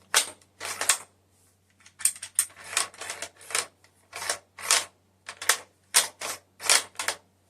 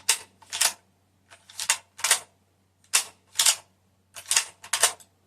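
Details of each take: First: Kar98k Mauser rifle bolt worked back and forth; uneven metallic clacks and gritty scrapes; action a little rough; trigger has take-up but decent. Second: Mosin rifle bolt cycled for comparison with owner's Kar98k Mauser; crisp paired metallic clicks, three cycles about a second apart, no grinding or catching; so much smoother than the Mauser.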